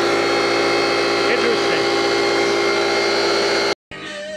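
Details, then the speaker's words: Coleman air compressor, fixed with a quick disconnect on a bad port, running under load with air drawn right off the compressor head: a steady, loud motor drone with an even pump chug until it cuts off; sounds healthy. "when i go and turn the compressor on you'll get air as long as it runs and that's right off the compressor head you can actually hear it under load"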